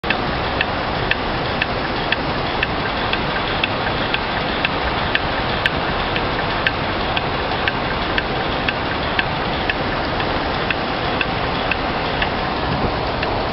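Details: Sharp, regular mechanical tick about once a second over a steady hiss; the unit has an abnormal repeating click, cause unknown.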